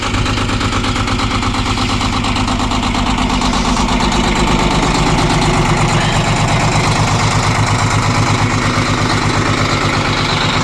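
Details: 1995 International cab-over semi, 11.1L Detroit Diesel, 10-speed: heavy diesel chugging at a slightly uneven idle, about two beats a second, just after a reluctant cold start; hard cold start, cause unknown.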